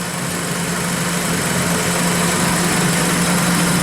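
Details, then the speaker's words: Honda Civic D16Y7 non-VTEC with mild rod knock from severe overheating (rod bearings shrunk), after adding Lucas Oil Stabilizer and warming up: steady idle, low even drone, no clear clatter or knock even on revving; a decent improvement. "this actually sounds like a pretty good running civic engine right now yeah no no platter or knock on the rev up"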